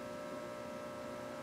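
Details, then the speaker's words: Earthshaker pinball machine at first power-on after a power supply board rebuild: a constant low buzzing hum of steady pitch through the speakers, no coil thumps. Owner suspects a ground loop, not confirmed. "there's a little bit of the hum sounds like a ground loop but I don't hear any coils on I thought that might have been a coil but it's coming through the speakers"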